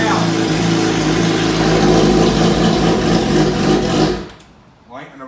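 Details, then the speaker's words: Salvage Suzuki GSXR motorcycle first start on a jump pack with exhaust pipes off: loud, raw open-pipe engine with a fairly even beat for four seconds, then shut off; runs normally, nothing wrong. "We got a really good deal on it anyway, but to hear it run has really made me smile even more."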